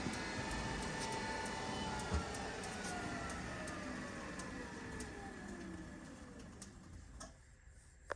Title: Treadmill Making Clicking Noise